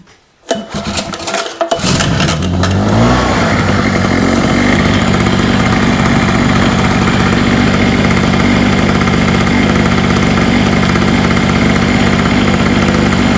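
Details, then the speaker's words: Hurricane 850W 240V two-stroke generator after refilling with correctly mixed fuel with less oil, spark plug already tightened: catches after a few pulls in about two seconds, then a steady buzzing run with no misses and much less smoke, so it runs normally. "Much less smoky straight off. It's even running better. It's running smoother."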